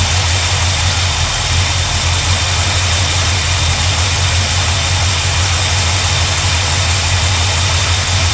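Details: 1972 GMC Sierra Grande with newly installed replacement V8: loud, steady rumble with an even low beat, no knocks or misses; runs smoothly.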